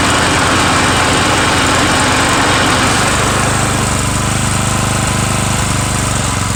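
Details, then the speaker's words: Murray 17.5hp riding mower with 42-inch deck after new Stens 265-031 deck belt and deck install, gas leaking at the side: loud steady single-cylinder chug, about three beats a second, even under mowing load; PTO clutch slightly sticky, normal running. "so all right a little sticky there on the pto clutch so other than that you know hey it's uh it mows well now noise i think it's a win-win"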